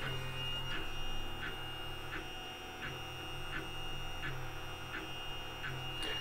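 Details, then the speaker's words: LulzBot Mini 3D printer, second-hand, after fitting NEMA17 stepper damper isolators (Y-axis first): constant motor buzz, high whine and clunky pulse about every 0.7 s as axes move; measured louder, damper judged a fail, steppers still loud. "I'd say that was a fail too despite not having much luck with the the y-axis isolator"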